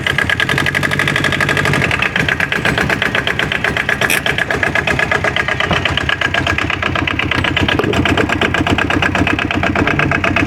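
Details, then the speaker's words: Aixam Crossover microcar idling after its variator (gearbox side) and accelerator cable were replaced with an aftermarket variator; quick, even chatter with a regular beat and no metallic rattle, and the earlier scrap-iron noise from the variator is gone. "du coup on a pris une adaptable et ça fonctionne très bien"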